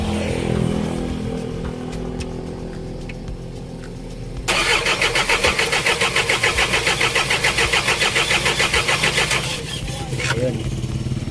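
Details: Isuzu 4HG1 diesel: even starter cranking about three and a half turns per second for five seconds, never fires; no-start, fault traced to a defective supply pump module.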